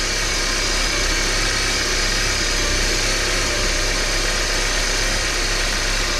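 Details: 1993 Porsche 968 3.0 right-hand drive, previously very noisy engine, first start after new belt tensioning including balance shaft belt: steady, even idle with smooth low hum, no chatter or ticking over the hiss; sounds healthy.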